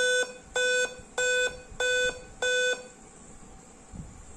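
Five even, clear beeps, then silence: the laptop's startup code for a real-time clock fault, typically a dead CMOS battery.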